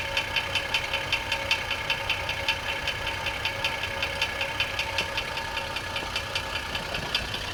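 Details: 2004 GMC Envoy 4.2L with transmission removed: sharp regular knock about 2.5 times a second at idle; persists with original, used and new flexplates, replaced harmonic balancer and belt off; rod knock suspected, unconfirmed.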